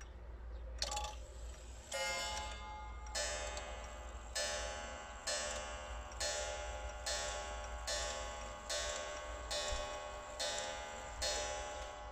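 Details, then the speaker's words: Serviced German three-weight clock with no gongs fitted, quarter-hour striking: once per quarter plus the hour count; bright strike clicks repeating about once a second over even ticking; striking train regular, normal striking. "La sfert bate odată, plus bate câte ora. La jumate bate de două ori cât, și bate câte ora. La trei sfert de trei ori și câte ora. Și la fix de patru ori și bate câte ora."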